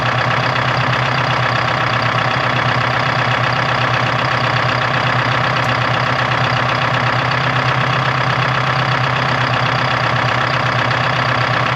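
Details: 1976 Ford F250 with a Detroit 4-53T two-stroke diesel: loud, fast idle clatter of about four beats a second, slightly uneven. The idle was just adjusted and still isn't right.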